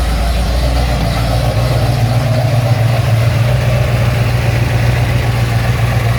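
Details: Ford XC GXL with restored 351 V8, carburetted, not yet warmed up: deep even V8 burble with steady low throb, no knocks or misses; choke later judged too rich; normal idle.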